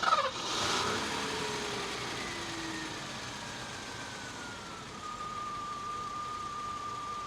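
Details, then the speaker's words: 1987 Mercedes-Benz 560SL (R107) V8, 90k miles, cold start, microphone possibly clipped to grille: brief start burst, then a quiet idle gliding down and holding, no clacking, valve noise or chain clatter on either bank; healthy engine, recently fully serviced. "And we can see that it doesn't make those distinctive clacking noises, and there is no unusual valve noise from either side of the engine. It's all very normal. The engine is in good health."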